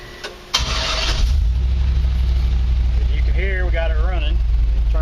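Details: 1949 Chevy truck, start after rewiring and fuel sending unit and temperature sender replacement: brief crank, fires and settles into a steady, deep, even idle with smooth low rumble; runs healthy.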